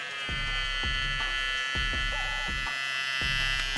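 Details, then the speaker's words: VGR 946 ICE Technology trimmer, brushed rotary 8000 RPM motor: steady, moderately loud high-pitched buzz at even pitch; not noisy, not silent; normal running. "Sin embargo, no lo escucho ruidoso, tampoco es silencioso, pero no es ruidoso para nada."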